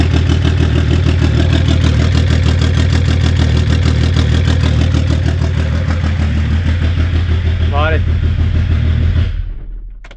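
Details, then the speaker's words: Mascott van with swapped BMW M57 diesel, first start in final position after wiring, clutch and exhaust work: key on, fuel pump primes, then smooth even idle with steady low rumble, no knocks or misses. "On tourne la clé. On entend la pompe s'allumer. Puis on est parti."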